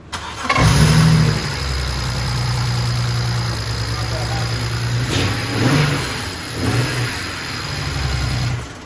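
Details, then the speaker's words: 335 with misfire and coolant leak after Mondello: starts into uneven, lumpy idle with stumbling beat; misfire confirmed on cylinder 4. "Right, so the misfire is definitely coming from number 4"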